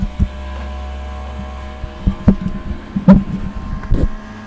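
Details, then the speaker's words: Newly unboxed Centauri Carbon 3D printer running its startup configuration and self-check calibration: low motor hum broken by irregular clunks and short buzzing moves about once a second, loud but normal and not how it sounds when printing. "This is just a test. It's just doing all its configurations, selfchecking. It's not going to be this sound that's going to be happening when it's actually running. But still, it's pretty loud."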